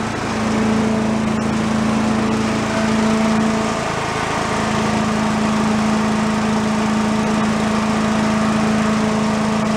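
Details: Commercial walk-behind two-stroke leaf blower, bought not running with reported carburetor problems, repaired and run on the ground to check smoke: holds a steady, fairly high buzzing note with only slight wavering; runs smoothly and healthy.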